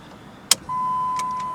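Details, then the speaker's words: 2004 Dodge Neon SRT4 (manual, clutch pressed): key turn gives one sharp click, warning lights and a steady chime, but no crank attempt. Starter and battery verified good. Cause is a broken ignition switch actuator pin, common on these cars. "you get a whole lot of lights but you also get a whole lot of nothing not even an attempt to crank and i have verified that the starter is good also verified that the uh battery is good and that thing annoys me every single time so you know what that means ignition switch very very common on these vehicles"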